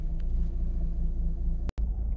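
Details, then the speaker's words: 2006 Mazda RX-8 rotary with a newly fitted uprated starter and hot-start trouble, warm after a warm-up drive: deep, uneven, lumpy idle. Owner suspects low rotor compression from failing apex seals; rough idle. "we're back from our warm-up lap as you might be able to hear it feels lumpy i'm not like cool bridgeport lumpy like not good"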